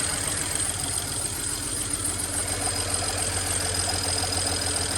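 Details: Rough, uneven cold idle with a regular tapping about three times a second from the top end on first start after fuel line work, with an extra quart of oil added; cylinders misfiring, engine smoking.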